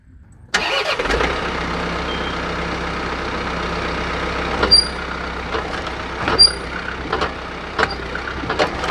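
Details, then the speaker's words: John Deere 4052R tractor with H180 front loader, engine running: two short, sharp high squeaks as the loader stand moves back and forth while raising and lowering, rubbing against the brush guard's fixed fork; owner may try grease. "So as you can see, that entire stand is kind of moving forward and backward as I raise and lower the loader there, causing that squeak."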